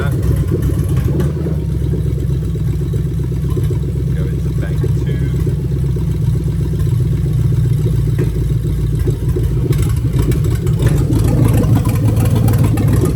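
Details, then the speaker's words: Lexus LS430 2000-2003 3UZ-FE VVT-i V8 with new harness at idle, oil control valve active test on bank 1 advancing and retarding the cam; idle turns choppy and lumpy, then settles back to smooth, expected result of the test. "Basically what you're going to happen is it's going to advance and retard the cam, so the engine's going to sound super lumpy. So when I do the test on bank 1, it's going to sound lumpy, and then I'm going to turn it off, it's going to go back to smooth."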